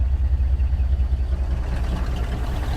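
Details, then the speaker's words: 1959 Dodge D-300 farm truck 318 V8, sat for months, after fixing a faulty key switch during a starter job: fires right up into a deep, steady idle pulse with no misses or knocks. "right it's been sitting for months fires right up cool listen to that thing"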